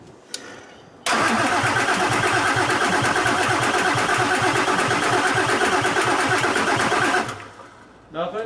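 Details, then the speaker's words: 7.3 Powerstroke diesel in a $300 auction donor truck, trying the front tank after fuel was leaking out. About six seconds of steady cranking at roughly three beats per second with no firing. Crank no-start; owner suspects no fuel pressure, possibly a bad fuel pump. "well either i'm not on the pin or we ain't got no fuel pressure and it seems how it ain't hitting i'm assuming we got no fuel pressure"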